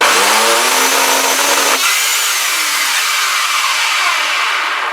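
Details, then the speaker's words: Craftsman belt sander, about 25 years old, back roller won't turn; high motor whine climbs, runs free, then jams and turns rough as the armature binds: seizing armature bearing. "It's been a good sander, but it's just not sounding right, and I think it's kind of seized up. But yeah, I can't move the back roller here."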